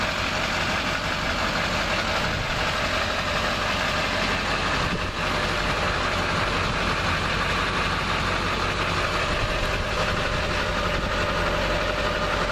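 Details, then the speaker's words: 2004 Chevrolet Silverado 2500 HD Duramax diesel 4x4, about 76,500 miles, no warning lights, running: steady, even diesel idle clatter with a constant roar, no misses or knocks; healthy. "Truck's running, so you can probably hear the roar of that Duramax diesel."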